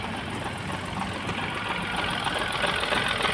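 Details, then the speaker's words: Renault Triber with a misfire and code P0016, head work done days earlier, idling just after start: a light rattle of three to four taps per second at idle that goes quiet with the clutch pressed and returns on release; clutch rattle. "जो इसमें आवाज आ रही है ना कड़क कड़क कड़क कड़क की अभी देखो क्लच दबवाप छोड़ो आ तो क्लच में भी दिक्कत है इस गाड़ी के"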